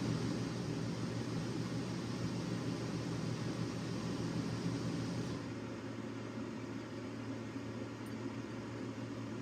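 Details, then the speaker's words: Dometic RV rooftop air conditioner fan on high, tested after installing a new Single Zone LCD digital thermostat and control box: steady even airy rush with low hum after the usual button delay, no rattles or scraping; normal. "I'm going to test the fan modes. Should hear the fan come on the air conditioner. There's always a delay after you push the buttons. And there's high fan."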